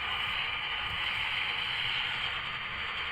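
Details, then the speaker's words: ATS200 LW/AM/SW/SSB/CB/FM/Airband radio on a mag loop antenna, tuned to a weak station: with the telescopic antenna pulled up, steady loud hiss swamps the audio and the station almost completely disappears; lowering the telescopic fixes it. "now when I pull the antenna up I lose the station for interference you listen it's so you can hear that noise now from the telescopic"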